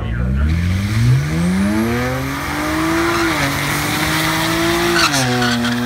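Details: 2007 BMW E90 335i 6-speed automatic, JB4 E85 flash, RB Stealth turbos at 27 psi tapering to 24, catless downpipe, 100% E85, drag run (10.88 @ 126 mph): hard rising howl through gears, stumbling near the top end; misfire under high boost.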